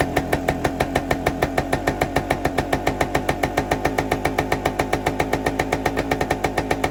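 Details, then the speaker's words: 1973 Suzuki TS250 Savage two-stroke single, revived after 25 years in a barn, running on auxiliary tank: crisp, even popping at about seven beats a second, steady, no misses or knocks, oil pumping properly; normal idle. "I let it run for a little bit, and um everything seems to be functioning properly."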